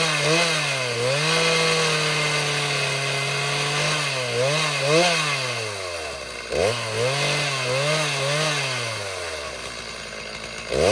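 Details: Two-stroke chainsaw after tune-up and spark plug change following two years unused: high buzz revving up and dropping back repeatedly, returning crisply each time; starts and runs properly.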